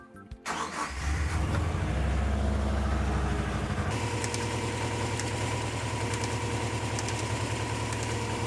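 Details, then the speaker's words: 2000 JDM Subaru Legacy GT-VDC wagon twin-turbo, after replacing noisy dying alternator and retensioning belt by guess: engine starts, then rapid rhythmic slapping about three a second over idle; drive belt too loose. "Now, did you hear that whacka whacka whacka whacka whacka whacka? That was coming from uh our belt here, which is a little bit too loose."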